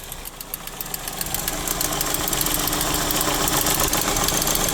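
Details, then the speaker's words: 4-cylinder engine idling on a hot day, under the hood: a sharp, regular tick of about four per second over the idle. A belt is possible, but the engine sounds unhealthy; timing chain wear from neglected oil changes is suspected, not confirmed. "motor don't sound too healthy. That clicking noise, that could be a belt though."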